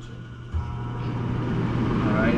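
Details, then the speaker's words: Two-pipe fan coil unit blower motor on medium speed drawing 0.9 A (low 4 A, high 1.1 A) after repair of fan wiring giving incorrect speeds; steady low hum and even airy rush, no rattle or scrape, normal. "to be a bit of a higher speed for sure and we got .9 amps now"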